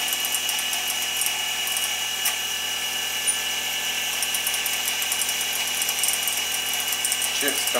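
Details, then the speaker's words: New DIY fly cutter on a mini mill, not the aluminum finishing insert: steady high metallic chatter of even passes, no squeal or stalling; clean, healthy cut with nice chips. "Alright, show a little bit of the new fly cutter in action here."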